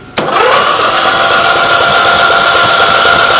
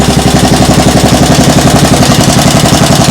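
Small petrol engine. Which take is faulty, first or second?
first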